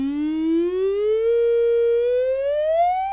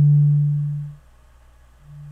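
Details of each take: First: Adcom GFA-555 power amplifier, distorted left channel, mic at speaker: test tone sounds harsh and buzzy, nearly square, with clicking at low frequency; crossover distortion from near-zero output bias, running like class C instead of class AB. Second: Adcom GFA-555 power amplifier left channel after bias adjustment, mic at speaker, 150 Hz test tone: pure low hum, smooth and undistorted, fading then returning steady; no more crossover distortion, channel reproduces cleanly.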